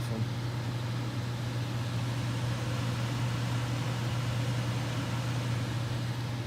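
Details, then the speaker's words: Furnace on top floor of a new-construction house, recently started humming: steady low drone with no rhythm as return grille louvers buzz like a reed in the airflow; reed effect suspected. "all right so what the customer described actually is a humming sound and I'm suspecting the read effect from these louvers"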